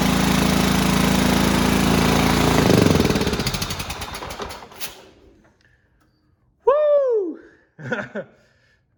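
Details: Cub Cadet riding mower, 16 hp horizontal-shaft Kohler, given starting fluid on choke: engine chugs hard a few seconds, then slows and dies as the fluid burns off. Fuel pump works, so a fuel-starved, dirty carburetor is likely.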